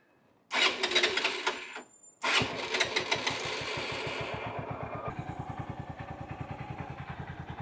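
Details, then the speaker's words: Honda CBF150 single-cylinder, 62,500 km, right after an oil change: cranks, fires second try, settles to an even idle. Earlier valve-tick and cam chain-like rustle is now gone. "sesi değişti şu an net olarak bir eee Eee subap şıkırdama gibi bir şey vardı Böyle böyle zincir sesi geliyordu büyük bir ihtimalle egzantrik zincirin sesi veya başka bir şey böyle bir hışırdama vardı"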